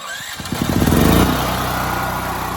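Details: FIRMAN 9400 dual fuel generator on gasoline, already warmed up, electric start without choke: quick crank, catches within a second, settles to steady even run; clean warm start.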